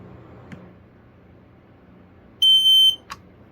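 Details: Kidde 0946 ionization smoke alarm, new unit with battery just fitted, test button pressed: a single loud, piercing high-pitched tone about half a second, silent immediately on release; sounder working.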